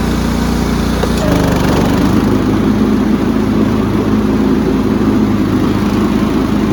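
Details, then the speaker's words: Cub Cadet rider's 16 hp horizontal-shaft Kohler with hydraulic lifters, after a fresh oil change and new filter: steady, even drone with a constant beat, no knocks or misses. Running healthy. "seems to be running great working great um i'm pretty happy with this"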